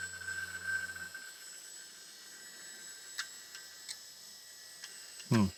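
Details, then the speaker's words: Old hard drive running with cover off, no corrosion inside: motor hum cuts out, then scattered sharp clicks; owner suspects corroded connection between heads and main board. Hard drive clunking. "Well, that seems like a very unhappy drive. It shouldn't clunk around like that."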